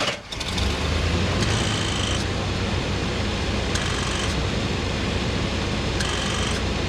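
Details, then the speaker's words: 1988 Chevy Suburban, engine idling, leaking R134a orifice-tube AC with about 65 psi, low charge: hissy whirr cutting in and out about every two seconds; compressor short cycling on low pressure, but compressor works. "oh pressure short cycling that's a good sign he's working anyway"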